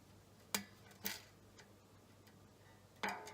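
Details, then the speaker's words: Squier Showmaster guitar during setup: three sharp bright pings while tuning as the thick strings catch in nut slots cut too narrow; fixed by filing the slot sides. "So that pinging is because the nut slots are too narrow for the thick strings, so it's sort of catching in the nut."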